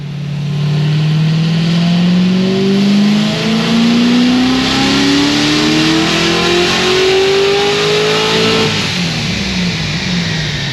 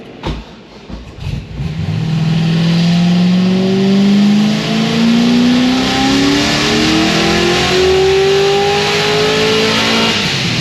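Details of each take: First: Supercharged LS7 with LSA/GXP setup on the dyno, about 11 psi boost, 10 degrees timing, around 810 hp: wide-open pull turns ragged and uneven near the top though data log looks perfect; valve float from a broken valve spring. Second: Supercharged LS7 on the dyno: engine note climbs smoothly to the top with no stumble, no longer breaking up high (previously broke up around 6300–6400 rpm); healthy full-throttle pull.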